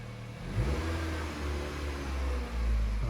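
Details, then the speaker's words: 2013 Honda Fit, about 183,000 miles, after replacing the catalytic converter gasket: a smooth, even engine note that rises cleanly when revved, with no ticking, rasp or hiss. A normal, much quieter exhaust with the leak fixed. "it sounds a lot quieter I don't see any bubbles right off the bat I'm happy okay so here's the finished product see it's 301. much quieter"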